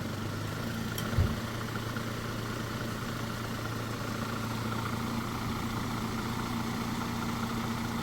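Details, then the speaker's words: 2017 Tata Tigor after replacing the faulty radiator fan motor, which had been noisy and shaking: steady, even whir over a smooth engine idle with no wobble, rubbing or knocking; the fan no longer shakes and runs normally. "അപ്പൊ fan അങ്ങോട്ടും ഇങ്ങോട്ടും ആടുന്നില്ല correct ആയിട്ട് ഒന്ന് work ചെയ്യുകയാണ്"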